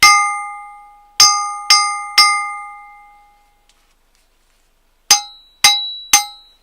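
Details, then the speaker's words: Austin Seven crankshaft ring test after removing crankcase bearings: each strike gives a clear, slowly fading bell-like ring rather than a dull clank; crankshaft not cracked. "a cracked crank crankshaft will give this sound not this"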